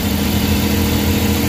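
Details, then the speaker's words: Suzuki K6A engine (DA63/DA64/DA52W) after general overhaul with XADO engine treatment added, first start: smooth, even low hum with a steady beat, no knocks or ticks, idling cleanly while warming; normal idle. "So far okay na yung andar niya."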